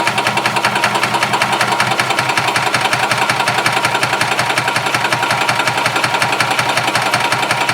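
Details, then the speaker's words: Gas Yamaha golf cart (title: 1991 G8) that runs two or three minutes, slowly throttles down and dies: fast, regular starter chugging, roughly three beats a second, never catching or firing; crank no-start from fuel starvation, before a carb clean and new fuel pump. "okay so let's manually Prem the fuel system so we don't drain the battery down"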